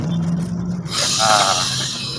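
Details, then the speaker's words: Exotic Stinger 3.5 electric bicycle rear hub motor, on the stand under throttle: steady low drone near 170 Hz, then harsh noise; no fault icon on the speedometer; hum and vibration caused by loose motor wire connections. "Dia normal tapi waktu kita naikin itu suaranya seperti dengung gitu ya"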